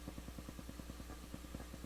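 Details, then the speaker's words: Crown CSC-850F amplifier in tape mode, stereo microphones at the speaker: low hum with fast, even ticking, roughly ten a second, where only hiss belongs; owner suspects dirty recording bar switch, amplifier output fault unconfirmed. "But it shouldn't be making anything. Shouldn't be hearing anything but hiss."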